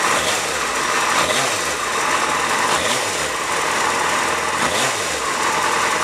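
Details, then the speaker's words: Stock 2004 Yamaha FZ6, about 18,000-19,000 miles, cold start idling about a minute, idle already dropping, pipes not yet warm: smooth, even, fast-ticking idle with steady pitch, no knocks or misses; normal cold idle. "it's been idling i guess for about a minute now and the idle's already come down this should be the watch the rpm"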